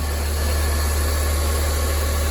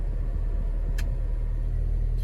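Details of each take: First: Ford Fiesta at idle, clean engine bay, coolant additive in the radiator: switching the A/C on changes the sound to a constant low droning hum with faint vibration, while the cooling fan still cycles normally. The cause of the abnormal A/C noise is unconfirmed. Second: Ford Fiesta with air conditioning switched off: smooth, steady low idle hum with no squeal, knock or rattle; engine idles evenly and healthy, unlike the noise that appears when the A/C is switched on.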